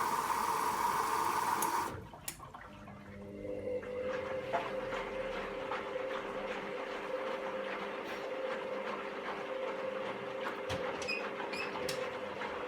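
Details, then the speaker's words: Candy GVS169D3/1-80 Grand O Vita 9kg washer after replacing failed triac on control board (error E09): tone cuts off, then water filling and sloshing, quiet even motor hum, soft regular churning; agitating correctly, normal wash. "you can see it dipping in there in the middle and splitting up things going down agitating and it seems to be agitating correctly well it's excellent"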